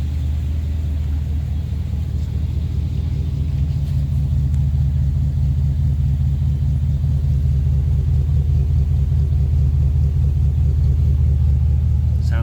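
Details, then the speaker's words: Restored 1956 Ford Victoria V8 with 47,000 miles on the odometer, pre-purchase inspection start-up; deep even idle burble, runs smooth, no smoke, misses or knocking: normal idle. "okay there we go now we're running runs nice and smooth idles well see no signs of smoke or any issues"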